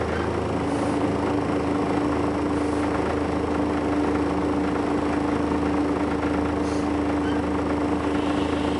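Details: First Manchester Volvo B10BLE bus 60403 (S670SVU), recorded 30 May 2011: steady, fairly high-pitched whine holding one pitch over the even diesel drone throughout; source not pinned down.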